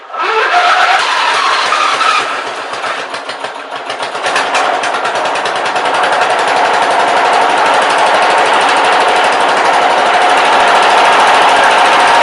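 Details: Briggs & Stratton 14.5 OHV single-cylinder engine after replacing the camshaft with a good used one and fitting the correct oil sump, flywheel torqued to 100 ft-lb; starts and settles into a quick, even putter, no knocking or missing.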